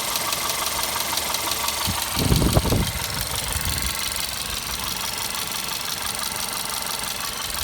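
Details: VW Golf 6 Comfortline TSI 122 hp, cold engine: cold idle with a light, uneven ticking over the engine hum and a short rougher patch midway; owner asks where the noise comes from, source unknown.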